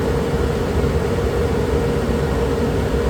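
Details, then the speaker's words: Suburban propane furnace in a Dynamax RV, heard through the open return air grill before sound panels are fitted: a loud, steady blower roar with a constant hum on top. Loud furnace blower noise. "and this is pretty loud I'll show you how to quiet this down now this return air Grill here you can't just block it off the sound is coming physically from the propane furnace that's hidden behind there"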